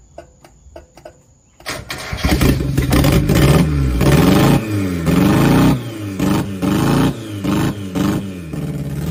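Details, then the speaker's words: 1990 Mazda Miata after sitting 7 years, cold first start on fresh fuel with rebuilt injectors: cranks briefly, catches, then idle surges and sags unevenly about three times a second. No idle air control valve fitted. Unstable cold idle. "going to up the idle a little bit just because we don't have a idle a control valve or anything so going to up it up just a little bit and then see what happens once it warms up fully"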